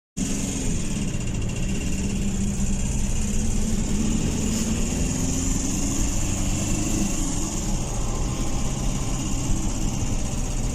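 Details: Ford Ranger WL diesel at idle, after cylinder head replaced with a Chinese head following overheating: heavy, rapid knocking through the low rumble; cause still unknown.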